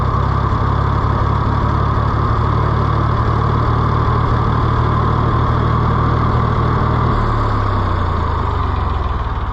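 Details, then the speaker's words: Neglected auction Ford 4000 tractor, restarted warm after running, plug wires had been backwards: low uneven idle with irregular thumps and slight sag; governor action about zero, badly gummed carburetor with stiff top shaft suspected. "they had them backwards so it does not run that well it needs some attention the governor action is about zero but I think that's because the carburetor is so gummed up"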